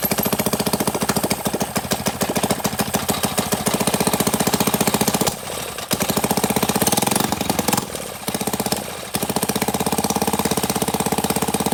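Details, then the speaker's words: CT100U mini bike engine, just after an oil change, running after backfiring while starting: rapid, even single-cylinder popping at fast idle with brief dips, no knock or rattle; no oil from the exhaust, runs and sounds good. "Nope, we're all clear. It runs. I think it sounds good too."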